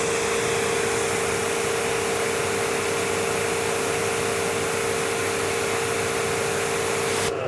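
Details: Active 3.0 pressure washer (rated 3 GPM), PSI test with 15° nozzle (6.3 orifice) reading 861 PSI; steady even spray hiss over constant motor hum until trigger release; running healthy under load.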